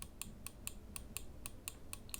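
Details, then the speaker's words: Glorious Model O gaming mouse side buttons clicking by themselves under grip pressure near the buttons, not actual presses; crisp, even switch clicks about four a second. "But the biggest issue I have, in a massive issue, which I think these things should be recalled because of this issue, is the side button presses."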